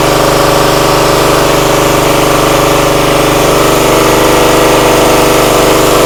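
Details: Free used pressure washer that reportedly only runs on choke, started at full throttle on choke after bleeding air from the pump: loud steady even drone with the pump pulling, no surging or misses; motor and pump seem fine.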